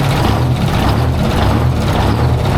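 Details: 1973 Freightliner cabover with a straight-piped Detroit Diesel 8V71 two-stroke, running with the rebuilt blower installed and the valve covers off: a loud, even, deep rumble with no misses or knocks, slight haze from the right side; running cleanly.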